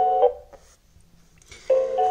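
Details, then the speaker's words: Xiaomi Xiaowa robot vacuum, new unit at unboxing, won't blink blue for WiFi pairing or power on from base: two short two-note electronic beep bursts about a second apart, repeating error signal. "ele não tá piscando e fica só andando esse barulho entendeu como estivesse tentando conectar ao vizinho"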